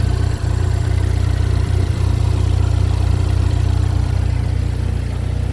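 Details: Chevy Equinox with replacement engine, just started, burning off oil: steady even low rumble, smooth regular beat, no knocks, ticks or misses; idling cleanly.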